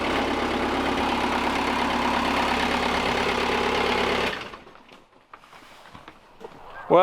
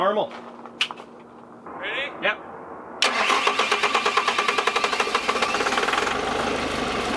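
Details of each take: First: 2007 Bobcat S185 with Kubota V2003 turbo diesel after repairing sheared injection pump camshaft keyway and retiming to marks: catches and settles into steady even idle with low clatter, no misses or knocks, then shuts down; normal diesel idle. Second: 2007 Bobcat S185 with a sabotaged Kubota V2003 turbo diesel, cranked on starting fluid: even chuffing for several seconds, nearly catches but never runs.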